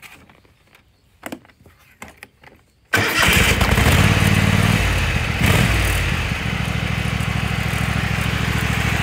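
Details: Kohler Command 25 V-twin mower engine running with rhythmic puffing at the right cylinder from a blown head gasket; still runs smooth, burnt plug on that cylinder and power loss.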